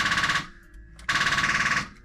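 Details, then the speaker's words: 2004 Ford Mustang Mach 1 with badly corroded battery terminals, key turned: two bursts of fast, even clicking about fifteen a second with no cranking; no-start, battery or terminals suspected. "No, nothing. Let me go check on this battery. I know the battery terminals are really corroded, so that's probably something to do with it."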